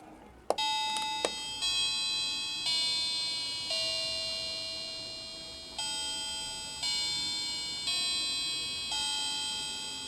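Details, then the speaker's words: Vintage clock restored with new battery chime unit mounted on velcro at the case edge: clear bell-like tones struck in sequence, each ringing and fading evenly through the hourly tune; chime working properly. "i just want to go ahead and try out the chime so the chime is down here i mounted it on some velcro right at the edge here so i'll see what it sounds like"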